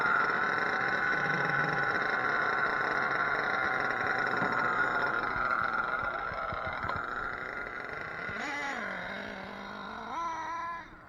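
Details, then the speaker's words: Redcat Racing Earthquake 3.5 nitro with swapped .28 Dynamite engine; high buzz rises on a throttle blip then the engine dies instead of idling whenever braking, owner suspects the clutch hanging up. "i think the clutch is hanging up and every time i go to hit the brakes it shuts the motor off"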